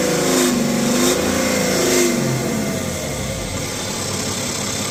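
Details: BMW X5 40d with N57 diesel, no fault codes and otherwise running perfectly: droning, swelling resonance rising and falling near 3000 rpm as revs climb; heat shields and loose parts checked, source not found, present since previous owner.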